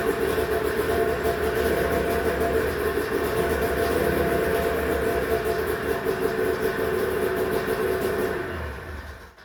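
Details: 1991 Arctic Cat Prowler 440 snowmobile, revived after 4 years' storage, carbs checked, fresh fuel, throttle safety switch bypassed: steady buzzing drone for about eight seconds before dying away, no misses or stumbles.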